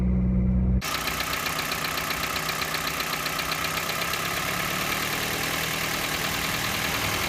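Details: Toyota Yaris 1NZ-FE rebuilt with forged internals, 9.0:1 pistons, rebored block, and new timing chain kit and VVT-i sprocket, at idle: a light, high metallic tick about four a second; loudest at 1800–2000 rpm.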